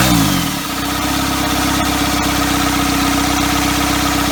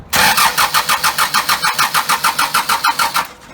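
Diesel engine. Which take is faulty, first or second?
first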